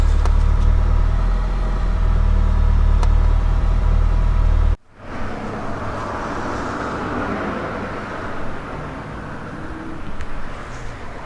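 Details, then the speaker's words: Car idling after the Radium in-line fuel pulse damper install, Varex muffler fitted: deep, steady idle at about four beats a second, injector clicking no longer heard, just plain engine noise. Normal idle. "you don't really even hear that clicking anymore it's more engine background noise and it's amazing to do exactly what it said"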